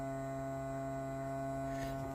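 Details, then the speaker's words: 2007 Yamaha GP1300R personal watercraft, cranked with spark plug wires off to test a new Riva fuel controller: bilge pump gives a steady, clean electric hum with no rattle or labouring. Normal bilge pump operation. "Let's see, first crank. Bilge is working."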